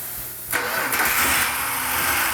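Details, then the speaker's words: 1971 Dodge Demon 340 Six Pack V8, 4-speed, first start after distributor installed: cranking, then catches suddenly and runs rough and uneven. Ignition timing too advanced; distributor turned back repeatedly. "it's a little Advanced let's kick it back a little bit try it again little Advanced a little Advanced let's kick it back a little bit more"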